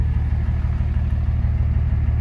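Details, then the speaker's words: 2006 Dodge Ram 2500 Cummins diesel with 48RE automatic, in gear on the brake: deep, pulsing drone with the idle dragged down to about 500–700 rpm and EGTs near 800; something let go in the transmission, possibly a failed sprag. "my foot is still on the brake I am not touching the accelerator so this thing lugs down starts pumping out black smoke egt start climbing up"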